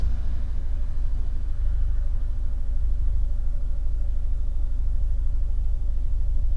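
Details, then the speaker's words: Fiat 124 Spider 1.4L MultiAir Turbo after camshaft inspection and regapping a plug, in cooler temperatures: steady smooth idle at 750-770 rpm, even low exhaust rumble, zero misfires shown on laptop. "yeah that is smooth I could tell 100 because my other videos you could hear it too 770 7.50 yeah idle between 750 and 770 it's not dropping there's no misfire so far"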